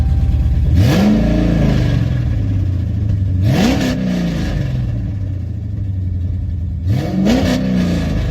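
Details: Charger with a freshly completed 392 Scat Pack V8 swap: a deep V8 burble at idle with three crisp blips that rise smoothly and fall back cleanly, no knocks or misses; the engine sounds healthy.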